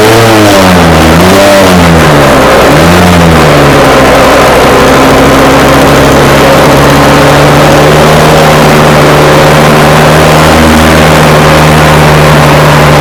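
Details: Scratch-built early-1970s radio-controlled boat, two-stroke engine revived after twenty years unused, water-fed cooling working: loud steady buzz with a couple of early rev blips, then settles into an even, clean run; runs and seems to cool itself.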